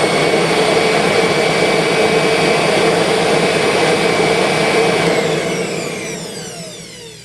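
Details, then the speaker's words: 2001 Kirby G6 vacuum with upgraded transmission, test run after new motor bearings: steady, smooth high-pitched whine, then switched off and winds down; earlier brush-commutator noise seems to have cleared. "Gee, not bad. I don't know if I need to do anything to that."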